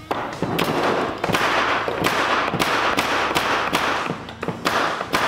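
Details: Framing nail gun after repair (wouldn't fire nails; back part taken off and dirt cleaned out): sharp repeated pops about one every half second, each crisp with a short air hiss; firing properly.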